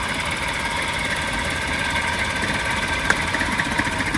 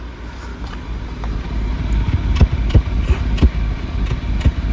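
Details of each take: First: Maruti car idling unevenly with an irregular stumble, sharp pulses and a chuff-chuff exhaust with a bad smell; one cylinder misfiring from a failed ignition coil, found by pulling plugs one at a time. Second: Maruti car idling after replacing a faulty part, fixing a misfire: low steady exhaust rumble with the earlier chuffing, vibration and unburnt-fuel smell gone; engine smooth, also when revved.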